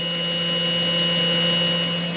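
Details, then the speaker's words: Eberspächer D5 diesel water heater in an overland truck camper: steady electrical hum with faint fast ticking as the fuel pump runs but delivers no diesel, caused by a tiny split in a fuel line; heater ran once fixed. "So we can hear the fuel pump. Yes, but no diesel. No diesel."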